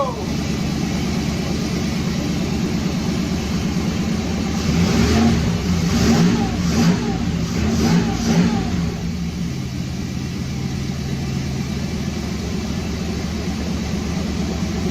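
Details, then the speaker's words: 1991 Buick Roadmaster wagon after new fuel pump and new ignition control module, fuses checked: steady idle, clean quick revs dropping back smoothly; running again after fuel pump failure. "There you go, y'all. She back running finally. Finally."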